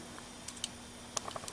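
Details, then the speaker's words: Honda engine on a go-kart with points and condenser ignition, after the points were sanded and rubbed for good contact: faint, irregular crisp snaps over a quiet background as the spark plug jumps; ignition spark normal. "hear them too. You can hear the spark plug jumping."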